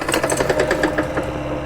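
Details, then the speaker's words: Axis M200 mini bike engine, hot, oil present, after it quit while riding: hard fast metallic rhythmic knocking over rough running; engine knocking, likely finished. "good at all that does not sound like she is gonna come back to life"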